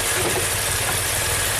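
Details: 2016 Maserati Ghibli Q4 twin-turbo V6, 60k miles, setting camshaft timing codes, raw-fuel smell: idle is uneven, lumpy and loping, shaking hard as if running on 3 of 6 cylinders; misfire.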